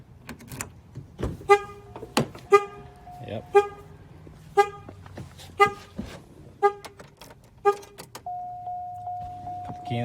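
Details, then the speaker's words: 2007 Chevy Cobalt with a security issue: on unlocking and opening the door the horn toots about once a second, eight evenly spaced blasts, then a steady tone. It stops when the ignition is turned on; owner has a theory about the cause. "one of the problems is there's a little security issue so i guarantee when i unlock the door and open it up it's going to buzz its horn at me"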